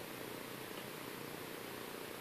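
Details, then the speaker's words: HP LaserJet 1320 printer after its laser-assembly scanner motor was removed and its spindle lubricated: soft even whirring with no high-pitched screaming; normal running, no scanner motor whine. "अभी आप सुन सकते हैं इसमें जो आवाज थी शोर थी वो खत्म हो चुका"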